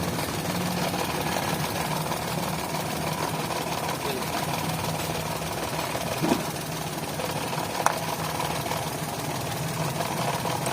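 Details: 2011 Toyota Vitz at idle with code P0303 and a blinking engine light: rough, uneven idle with a stumble in the beat. Cylinder 3 is dead because its fuel injector pulse wires are swapped in the connector.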